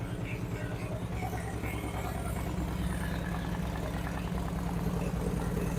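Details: 2008 Harley-Davidson Street Glide with Screamin' Eagle 255 cams, second startup after readjusting pushrod: steady loping V-twin idle, no ticking or clatter, crisper rev-ups; normal idle after fix.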